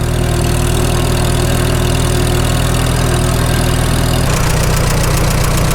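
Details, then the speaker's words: Farmall H after sleeve repair, pulling along under load. Even, steady low engine thump with no knocks or misses; running normally. "Check out low idle in fifth, see how it sounds. Not bad. Make her work a little bit. Let's see how it likes fifth back up the hill."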